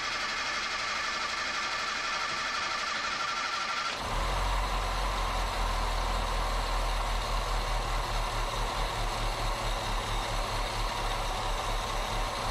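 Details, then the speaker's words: 1977 Datsun B210 first start after fuel and ignition system cleanup, carb bowl primed with gas: engine catches and settles into a lumpy, uneven, loping idle, sounding badly out of tune; rough running. "oh we're in gear we not in gear I'm spinning that's amazing oh my gosh sounds bad"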